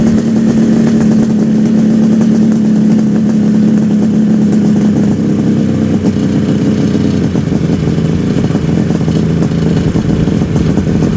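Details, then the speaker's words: 1974 Kawasaki H2 750 two-stroke triple just restarted after 34 years, all three cylinders smoking: crisp busy buzz with steady fast-ticking beat, no misfire or knock; normal two-stroke running. "That sounds so good. The fact sounds better than good. Yeah. The fact that all three are smoking the"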